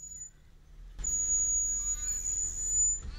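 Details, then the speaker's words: 2007 Toyota Aurion front left disc brakes: thin, steady, very high squeal while braking for about two seconds; brake squeak, before complete brake job. "the front left brakes are making a squeaking noise like this"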